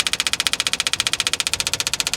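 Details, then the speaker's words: 1966 Impala SS parked over 10 years: starter cranks steadily about twelve beats a second, engine never catches, fuel pump running dry; likely no fuel is reaching it and the tank is suspected empty. "you know it kind of leaves me wonder if maybe the gas tank is empty you think you would have got something by now nothing"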